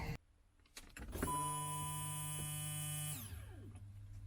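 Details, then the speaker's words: BMW E36 turbo build, newly replaced fuel pump out of the tank laid on the seat, key turned after a no-start: steady electric whine starts cleanly, holds even pitch about two seconds, winds down smoothly. Fuel pump runs normally; owner suspects a clogged line. "uh laid the fuel pump down on the seat and then i cranked the key just to see if it would uh make a sound and it did"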